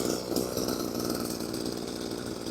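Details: Small sprayer engine, pull-started with the cover open to check for an odd noise heard when starting. It buzzes at a steady, even speed with no rattle or knocks. Normal running.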